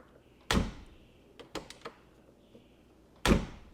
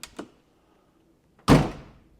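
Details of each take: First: Older Mercedes right door closing with a solid, deep, firm thunk and light latch clicks; its striker brass insert is much less worn than the left door's, which clanks instead of thunking. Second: You notice it doesn't have that thunk, it has more of a clank. And I'll do it even softer. All right, so that tells me, yeah, that inside of that thing is pretty well eaten up.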